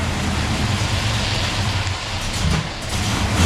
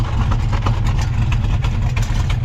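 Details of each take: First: 1971 Mustang with a 347 stroker and 5-speed manual swap: a deep, boomy V8 exhaust drones harshly through restrictive stainless flap-plate muffler restrictors. It sounds much better once they are removed, after the collectors were welded. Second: 1971 Mustang convertible with 347 stroker V8, 5-speed manual swap, long-tube headers, restrictive exhaust flap plates just removed, 18° base timing, 34° at full vacuum, no pinging: deep steady idle with even lope, strong rumble and header ticking; healthy, no knocks or misses.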